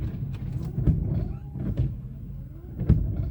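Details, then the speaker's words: UAZ Patriot windshield wipers: a dull low knock about once a second each time the wipers reverse direction, attributed to a worn rivet pivot in the wiper linkage arm. Wiper arm knock at reversal. "слышите сейчас он когда сюда доходит когда он сюда Доходит и назад при перекладки стук происходит"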